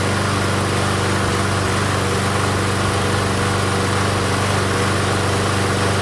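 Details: MTD Gold self-propelled mower with Briggs & Stratton Quantum engine after pull-rope repair: single-cylinder engine holds even, steady beat, no misses or surging, some exhaust rattle; runs fine, self-propel intermittent, owner suspects stripped front wheels.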